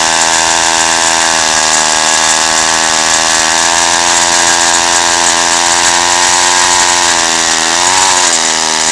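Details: 1953 Zeiss two-stroke ice auger revived after a spark fix, drilling through ice estimated at over a foot thick: high buzz near full revs with a brief sag and pitch wobble near the end; uneven throttle response, carburetor tuning suspected.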